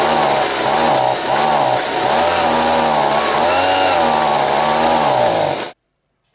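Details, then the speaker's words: Stihl BG55 two-stroke leaf blower, a worn machine with mixture screws at about a turn and a half and a carb kit already replaced. It runs and revs well cold, then bogs down as it warms, sagging and surging. Cause is a crankshaft seal air leak. "as you saw that when I first started it it ran really good it revved up quite well but as soon as it started to warm up you could hear it bogged down"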